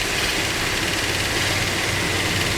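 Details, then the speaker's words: Freshly built 440 Magnum V8 with roller rockers on the stand, timing corrected: loud, open-sounding steady idle with no knock or stumble, good oil pressure. "so I turn our exhaust fan on yep okay it's running that's all right good oil pressure"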